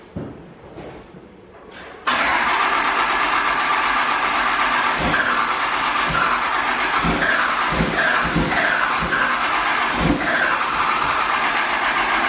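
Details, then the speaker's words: Dumpster Cummins diesel truck after retiming and turbos reinstalled: steady even starter cranking about four compressions a second, never catching; owner thinks injection timing jumped on first crank, causing the crank-no-start. "I could not get this truck to fire. I will throw the clips in now, but basically what I think happened was I obviously retimed this truck, and I think it jumped time as soon as I tried to crank it"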